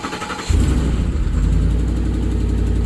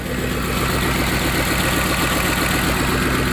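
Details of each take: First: Ford F-150 4.6 V8 with many OBD2 codes and timing issues, cold start: it cranks and catches into a deep, slightly puffing cold idle, with popping from a small exhaust leak on one side and no loud timing-chain rattle. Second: Ford F-150 4.6 V8 just after a cold start, idling with nearly every warning light on and timing codes set. It idles with a steady, even low rumble, no rattle and no knocks, a good-sounding engine despite its timing issues.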